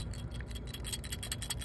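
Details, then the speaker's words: Ford Fusion external water pump, removed and spun by hand: gritty, marble-like rattling clicks, about five or six a second, from a worn bearing; the new pump is silent. "That's a no bueno, people. That's bad. I like marbles."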